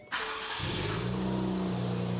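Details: 2023 Nissan Z (RZ34) after installing aftermarket high-flow-cat full downpipes and work on a passenger-side exhaust leak, at night: starts and settles into a steady deep drone with no ticking or puffing; exhaust sealed, no leaks.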